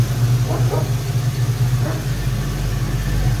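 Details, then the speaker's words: 1990 Ford Mustang GT Foxbody V8, manual, idling while warming up after the new Alloyworks 4-core radiator was fitted: steady, even low rumble with no stumbles; normal idle after the rough idle was fixed by cleaning the IAC valve. "my rough idle problem turned out to be my IAC idle air control valve I took it off I cleaned it out with brake fluid put it back on she seems to be running pretty good right now"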